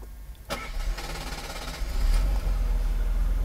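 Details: 1991 Mercedes-Benz W124 300CE 24V with a five-speed transmission, warm start at about 60 degrees; owner reports stalling when hot: quick crank, clean catch and smooth idle settling within seconds; oil pressure normal.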